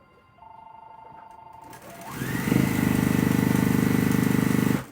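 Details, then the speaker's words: Sewing machine at speed, fast even rattle riding on the stitching beat, not always present; loose accessory tray rattling. "My machine doesn't always make that noise. I'm rattling. This is tray is rattling."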